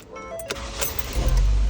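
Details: Ford Escape with an intermittent no-crank, no-start fault from a failed ignition housing, after housing replacement: a short starter whir, then the engine catches at once and settles into a low steady run, starting normally.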